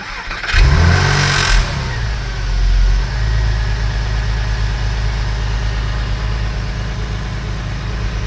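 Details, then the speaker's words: Porsche 996 3.4L after reconnecting a coil wire someone had left improperly plugged in: starter catches, short rev flare, then steady even idle with no stumble; earlier bad misfire fixed, cylinder 6 compression 85 psi. "As you can see, it's running much better than before."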